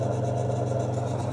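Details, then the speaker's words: Victron MultiPlus-II 12/3000 inverter on 12 V lithium, about 2 kW wallpaper steamer load: steady low hum with fine fluttering rattle and knocking when internal fan runs; owner suspects 50 Hz electromagnetic interference on the fan. "I think it's to do with electromagnetic interference on the with the fan from some source inside the Multiplus 2, specifically operating at 50 Hz,"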